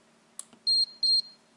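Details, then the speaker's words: APC Back-UPS 700 under repair for not charging its battery: two short high-pitched beeps about a third of a second apart as it switches to battery mode, rear fan running; LED suggests battery fault. "ele entrou ali no modo de bateria ó aí tá acesa dá para ver pela minha mão"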